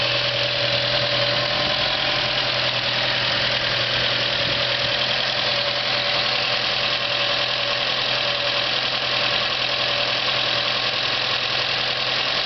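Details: 1970 GAZ-24 petrol engine on its first start after rebuild: even, steady idle with a constant hiss and no obvious knocks.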